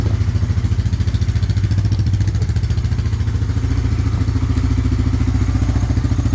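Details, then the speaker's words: 1998 Honda 300 4x4 ATV, sitting for years, running after a Honda Foreman 450 carburetor was installed and the gas tank vented; steady, even thumping at constant idle, about three beats a second, no misses, no smoke. Normal running; later stalled, CDI suspected. "Hey, it was running really good. It wasn't even smoking."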